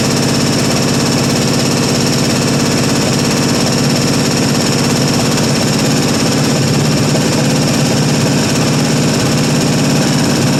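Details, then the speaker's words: 1974 International 200 pickup, two-wheel drive, parked about 25 years with a freed-up stuck engine, first run: rough busy V8 idle with light rapid clicking; owner suspects typical International lifter click from dry lifters after storage. "She runs though. So, sounds like typical international lifter click. But course, I'm of course I'm sure the old lifters are probably pretty dry after it's been sitting around so long."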